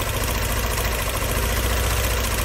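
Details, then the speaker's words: 2001 Mini Cooper R50 misfiring, fault-finding by unplugging components one at a time: lumpy uneven idle with a steady low thrum and faint irregular knock, no change when cylinder one's is removed; that cylinder's injector gives no fuel and it has no compression. Dead cylinder misfire. "this one is definitely not doing anything so this is more or less how you can find out which cylinder is satisfire"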